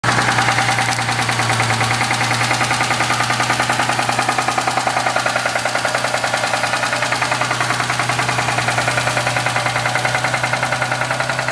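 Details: Mustang engine at idle: a sharp, regular metallic knock about three per second rides over it. The owner suspects the valvetrain but is not certain.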